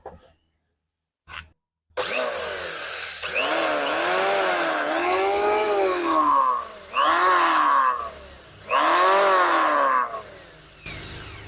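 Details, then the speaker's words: Richu electric planer, rerun after blade balancing: vibration gone, but the motor spins up in bursts with a very loud, harsh roar and a high squeal on top; worn front bearings spinning loose in their housing. "memang ini sudah tidak bergetar tapi ada suara yang sangat keras sekali kalau saya lihat laker yang ada di sini atau Biring yang ada di sini itu juga ikut berputar pada rumahnya"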